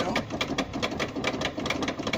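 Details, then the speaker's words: 1992 Chevrolet Corvette after battery replacement, engine off: quick, even ticking of about five clicks a second at key on and again at key off, a long-standing noise the owner suspects may be draining the battery. "When you turn the car on, it makes that noise. When you turn it off, it makes that noise."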